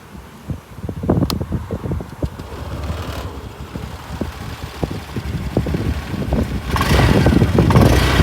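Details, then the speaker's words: BS6 scooter with uneven cranking chugs at about four per second that never catch; a no-start from a failed in-tank fuel pump motor that no longer supplies petrol, which the owner says comes from running below 1 litre. "ಆ motor ನನ್ನ ಗಾಡಿಯಲ್ಲಿ ಕೆಟ್ಟೋಗ್ಬಿಟ್ಟಿದೆ ಗುರು. ಅದಕ್ಕೆ ಗಾಡಿನೇ start ಆಗ್ತಿಲ್ಲ."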